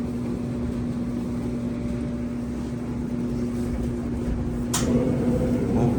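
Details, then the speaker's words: Old Maytag dryer after reassembly, running on a 20-minute cycle: a steady droning hum and rumble with a sharp click near the end. It is not heating as it used to; the cause of the unusual noise is unclear. "I don't know it sounds scary"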